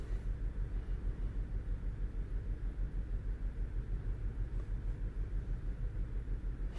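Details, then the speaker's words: 2010 VW Golf GTI with a flashing engine light, idling after ignition coils were swapped: low, rumbling idle with a regular thump about three times a second, like one cylinder dropping out; the misfire persists and moves to cylinder 4. "is definitely still misfiring you can feel the engine you can feel the engine a hundred percent is still misfiring we don't have any lights on the dash yet"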